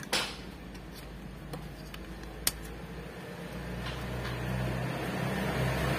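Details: Daihatsu Gran Max after replacing dead ignition coil: steady low idle climbing smoothly as throttle opens, even firing with no stumble or popping; engine runs normally.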